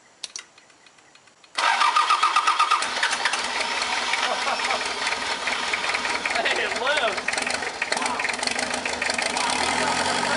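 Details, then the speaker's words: Mazda B3000 diesel turbo build, first start after closing the cracked injectors: brief cranking, then it catches and settles into a steady, even idle with clean firing. Normal start and idle. "yeah dude it just sounds awesome i'm so excited"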